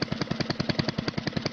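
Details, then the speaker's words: Predator 224-powered GTS mini bike with a 26 mm PWK carburetor on 38 pilot and 115 main starting jets, before tuning: engine pops and stumbles in uneven bursts, surging instead of holding a steady idle; rough running, needs carb tuning. "or maybe even like this or even like this then maybe it needs to be tuned"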